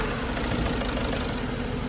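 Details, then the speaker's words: Volkswagen Polo diesel before repair, with heavy white smoke and poor pickup: uneven, shaky idle with a knock that breaks rhythm, jerking as if something broke inside. Cylinder misfire from faulty injectors, which are to be removed and repaired. "इसम white smoke भी बहुत ज्यादा आना इसम और locking की भी जो है आवाज है इसम इजन किस तरीके से रहा है और इंजन के अंदर ऐसा लग रहा है जैसे कुछ टूट गया है और इजन जो है झटके भी मार रहा है"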